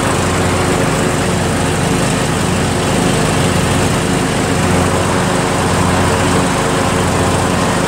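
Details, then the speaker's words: John Deere L100 lawn tractor, Briggs engine, PTO engaged with mower deck installed, warm weather: steady even drone, no knocks or hunting, blades spin well without much vibration; running healthy. "runs great always starts up great and you know what I think it's gonna mow really well too because it spins really well and it doesn't really vibrate"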